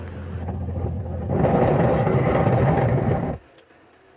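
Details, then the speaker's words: Kenwood semi-automatic washing machine loaded with water and clothes: loud, deep helicopter-like rumbling churn for about two seconds, then cutting off; gearbox gear suspected damaged, to be replaced. "ਅੱਜ ਦੀ ਇਹ video washing machine ਦੇ ਵਿੱਚੋਂ ਗੜਗੜ ਦੀ ਆਵਾਜ਼ ਆਉਣੀ ਜਿਸ ਤਰ੍ਹਾਂ helicopter ਚੱਲ ਰਿਹਾ ਹੁੰਦਾ।"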